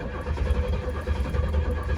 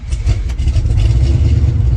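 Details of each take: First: 1967 Pontiac GTO V8 cranking with Quadrajet float bowl cracked and empty: steady cranking without catching, faint clicking from ignition coil arcing in the back. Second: Deep, even V8 rumble settling into a smooth steady idle with no knocks or ticks, from a borrowed 1970 Pontiac LeMans 455; fires right up and sounds healthy, normal idle.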